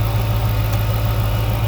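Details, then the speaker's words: 2006 Chrysler 300 SRT8 after an intake manifold gasket replacement and a replaced broken dipstick; a suspected intake leak had caused cold-start vibration. Low, even idle with no shake, hiss or stumble. Runs smooth; normal idle. "Man, listen to that thing just purr. It runs so smooth."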